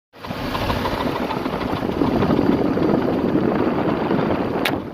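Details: Nissan VG33E V6 at steady idle with a faint knock about four times a second holding its pace; engine knock of unknown cause.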